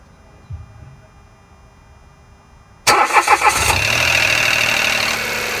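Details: 2015 Mitsubishi Mirage cold start: a brief burst of rattling under a second before a steady idle. Owner was told it could be the oil filter or oil having drained down; the dealership says it is normal. Not confirmed.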